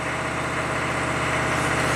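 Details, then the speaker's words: Chevy 6.5 turbo diesel truck at cold start, suspected PCM over-fueling through the fuel control solenoid: idle rises from a shaky 1,000 rpm to about 2,000 rpm with no throttle, fast busy clatter; high idle. "okay it's at 1,000 RPM shaky now it's at 2,000 RPM or you know"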